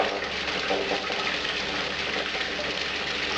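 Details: Bucket blaster keg and fermenter washer for a brewery, just switched on: even rushing spray draining back down over a steady pump hum, no rattles or surging; running normally.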